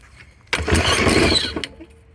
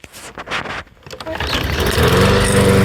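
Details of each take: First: Troy-Bilt TB200 self-propelled push mower that didn't start this season, old-smelling gas, no primer: one pull gives about a second of rough, rattly sputter that fades out without catching; carb cleaner tried next. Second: Troy-Bilt TB200 self-propelled bagger push mower, revived after failing to start this season: catches on the first pull and settles into a steady, even drone with no misses or surging. Everything works.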